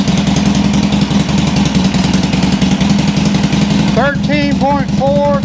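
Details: 2007 Sportster 1200 Custom on a lift, in neutral, after a no-crank complaint. Loping, even V-twin idle with a steady low thump and no stumbling. Charging measured 13.5 V, so the stator and rectifier are fine; the battery was bad, lacking cold cranking amps.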